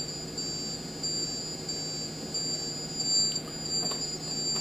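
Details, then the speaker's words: Multicopter ESC flashed with new firmware on a test station, with no receiver plugged in: repeated high-pitched electronic warning tones without throttle input, continuing until a receiver signal is detected. "also there's one other thing that you will notice if this uh you have no receiver plugged into the ESC it will emit multiple sounds if it has no signal and it continues to do that until it gets a"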